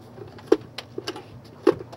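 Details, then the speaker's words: 1970s GE model 7-4305F clock radio, unplugged and tipped before opening: a few sharp, irregular clicks and taps from something loose rattling inside. "something rattling inside. So before I plug this in, we're gonna open it up."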